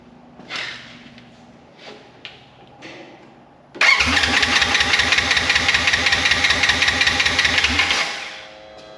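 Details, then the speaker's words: Wrecked 2016 Polaris RZR 900 S: starter cranks steadily about two to three turns per second for four seconds, never catches, no spark, gauge cluster goes dark while cranking; crank no start, owner suspects aftermarket ignition switch. "when I crank it the gauge light and everything or the gauge cluster and stuff goes off it doesn't show me RPM or anything"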